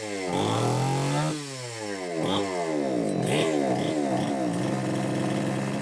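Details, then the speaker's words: Homelite XL-903 chainsaw after carburetor work, stiff fuel hose possibly not letting filter sit in fuel: surges up and falls away repeatedly, unable to settle at steady idle; won't run on low speed circuit, lean from starved fuel. "don't know, folks. Looks like it won't run on that low speed circuit at all."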